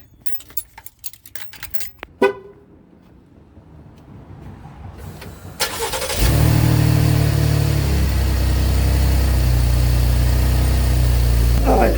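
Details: Gen2 Chevrolet Traverse after replacing nuts, bolts and gasket at the pipe between resonator and muffler: engine cranks, catches and settles into a steady even low idle with no exhaust ticking or puffing; leak fixed.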